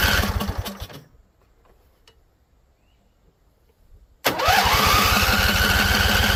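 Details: Husqvarna Z254 mower with an apparently swapped engine, plug gaps don't look right: it catches briefly after carb spray, dies, then fires again on choke and struggles to stay running. Owner suspects flooding or poor fuel-tank venting.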